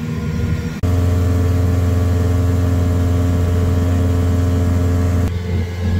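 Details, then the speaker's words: 1983 Evinrude 70hp outboard at full throttle after new plugs and compressed-air cleaning: a strong, steady deep drone with no misses, doing 53.7 km/h versus 12 km/h before the repair. It is running clean and healthy. "It's very surprising how there's not a lot of difference whether I have my wife and child aboard or not. I got 52 kilometers an hour with them aboard, and I'm only doing 53.7. But boy, it's a lot better than 12."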